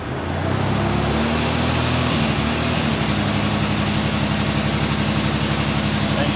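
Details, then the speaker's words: 1999 Toyota 4Runner 3.4 V6 running under torque load in gear; it settles into a constant, steady, uneven stumble about four times a second, a misfire the scanner doesn't pinpoint. "you should be able to hear that on the video. It's just a constant, steady misfire."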